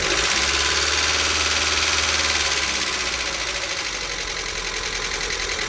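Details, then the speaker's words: Lada (Xray per title, Granta per owner) at about 57,000–70,000 km, rental car, idling with hard, regular metallic knocking about four per second plus lifter tapping; began right after an oil change and short drive, oil warning light came on; oil level present; oil pump replaced. "ощущение было как будто машину двигатели масла нет поэтому так стучит"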